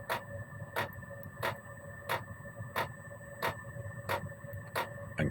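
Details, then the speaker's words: Gearlasso 8kW Chinese diesel heater in manual mode, gear 1 (lowest constant setting), 13.2 volts, about 18 minutes running: a soft, even fan hum with a light pump tick about one and a half times a second; normal low-output running. "You can hear the fan running. And this will run fairly consistently at this low rate because gear one is the lowest if you like constant setting."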